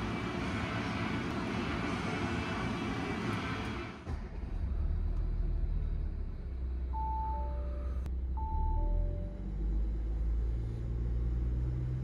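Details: Audi A6 C8, third-generation 3.0 TDI diesel, idle before repair: light rattly clatter over low rumble, combined noise of a loose timing chain and worn camshaft sprockets; dealer had called it normal.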